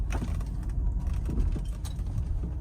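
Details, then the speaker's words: 2012 Range Rover L322 Autobiography, slow turn, worse in warm weather: steady road rumble with dull pops from the front as the body rolls; owner suspects the rubber front sway bar bushings. "Pop, pop, pop. And again, this oftentimes just happens when there's a body roll."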